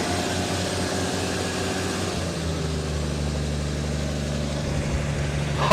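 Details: 350 small-block V8 with 65,000 original miles, on its first start in two years, possibly on the original muffler: deep, steady, even burble with no knocks or misses; idling cleanly and healthy.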